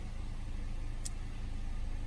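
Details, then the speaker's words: Hot 2014 Cadillac CTS 2.0 turbo with newly installed ZZP 67mm throttle body, plus tune, downpipe and intake: steady even idle with smooth low pulse, no misses, stumbles or hunting; slight jump at startup. "so far it seems like it's running smooth and you say have a little bit of a jump when you first turn it on"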